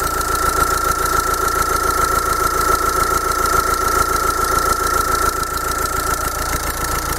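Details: Bosch common-rail diesel idling during a rail pressure sensor voltage test, with rail pressure around 305 bar: a steady, even clatter with a faint constant tone and no knocks or misses. The system is operating normally.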